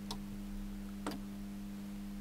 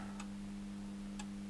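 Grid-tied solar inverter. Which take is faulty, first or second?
second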